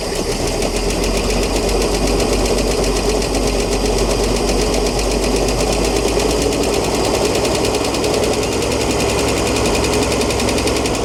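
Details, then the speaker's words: Ford D-Series petrol fire truck, just revived after sitting 16 years, idling: a fast, even ticking with no smoke or exhaust leaks. A flat hydraulic tappet is suspected, and the tick later went away. "I don't know if they got hydraulic tappets. Sounds like one of those is flat and not charged up."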